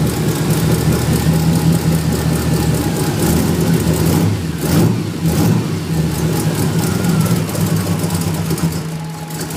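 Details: 1994 Ford Mustang idling low with an uneven, lumpy pulse that wavers rather than holding steady; rough idle, cause not evident.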